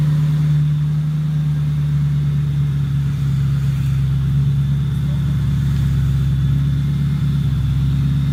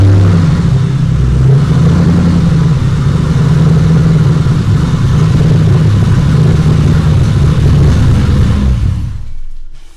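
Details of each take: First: 2007 Mustang GT on first start after a new engine block install: steady deep V8 idle, even low rumble, no misses. Owner says it smells like it is running very rich; running rich is suspected. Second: 2007 Mustang GT V8 first run after engine install, fresh oil filter and six quarts of oil: deep, even rumble holds steady about nine seconds with no knocks or misses before shutoff; no leaks, sounds healthy.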